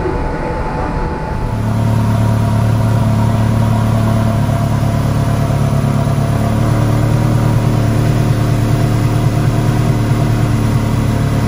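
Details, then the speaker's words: Ferrari 360 Challenge Stradale Spider V8 at its first fire-up after rebuild, with fresh plenum gaskets and the water plumbing resealed; deep, even rumble swells briefly then holds smooth and steady with no ticks, knocks or stumbles; earlier water leaks now cured, normal running. "well guys there you go another massive milestone in the stradali spider project it's running and it sounded absolutely epic"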